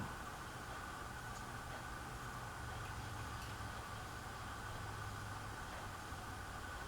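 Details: Hunter Reverse Aire Original ceiling fan on test: low steady motor hum, soft drone, no knocks or scraping; spins slowly, vibration noise noted; owner plans to oil it and suspects an internal problem, doubts it's the ground wire.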